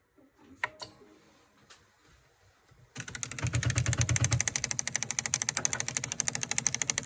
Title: Clicking noise extruder